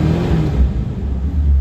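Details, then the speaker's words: Sebring 500 started cold on the first crank, with nearly new Flowmaster mufflers (under 1,000 miles), revved: a deep, throaty exhaust rumble with no misfire, idling stable at about 800 rpm; healthy exhaust note. "very nice throaty sound no misses in the engine engine runs extremely well idles very comfortably at about 800 rpm and is very stable"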